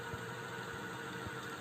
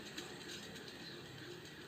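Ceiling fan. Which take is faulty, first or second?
second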